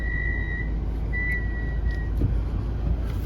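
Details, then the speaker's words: Mazda CX-5 reversing out of garage: two high, steady squeals over low engine rumble when brakes applied in reverse, none going forward; pads and rotors in excellent condition, lubrication expected to cure it. "you back up and you hit the brakes they made quite a racket"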